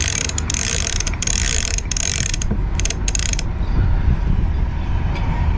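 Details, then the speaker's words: Rebuilt Lewmar 58ST electric winch after cleaning and oiling the pawls, on an Amel Super Maramu 2000: motor runs smoothly with a steady drone while pawls click crisply in quick bursts; normal ratchet, previously made awful noise. "okay now all the bolts are tied down ah that sounds pretty nice"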